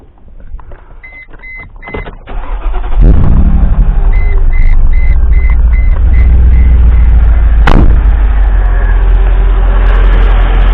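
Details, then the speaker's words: 2005 Mercedes G500 (W463) with a mechanical engine fan, started and revved: a loud steady roar holds through idle without easing off. The fan clutch is seized and the fan roars almost all the time. "So I'm going to rev the engine and then you'll just hear the fan pick up speed but not slow down."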